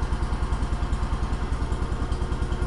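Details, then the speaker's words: 1971 John Deere 140 H3 hydrostatic lawn tractor, choke applied on start: strong, even thumping about seven beats a second with a deep exhaust note and no misses; it sounds like it has power, normal running. "push that in at lift and lower says mother stuff but she sounds like she's got power"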